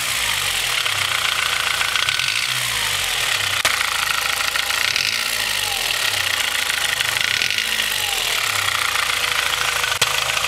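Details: Honda H22 engine with Mahle Gold Series pistons, cold at idle: steady hollow knocking clatter, piston slap from slightly too loose piston-to-wall clearance; otherwise ran well to 8,000 rpm, rebored with oversized pistons after about 5k miles, no skirt damage.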